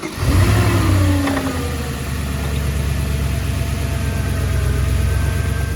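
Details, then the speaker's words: Audi S4 B6/B7 4.2 V8 cold start: quick crank, brief flare, then steady deep idle with no timing chain rattle after start-up — a normal cold start; rattle lasting over 3–4 seconds would signal chains needing replacement. "probably all good"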